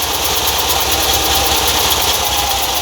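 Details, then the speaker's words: VW Kombi idling: loud steady high-pitched hissing rattle from a dried, cracked fan belt. "Para ver se o problema é dessa correia aqui. Que quando ela está ressecada, quando ela"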